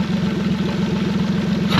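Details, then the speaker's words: Tahotsu 40 HP outboard after DIY fuel injector cleaning, run on fresh gas: steady quick pulsing idle, then a rise as it revs near the end; it runs even and clean, sounding like it did before. Normal idle and rev. "I got confidence now for now. It sounds like it did before."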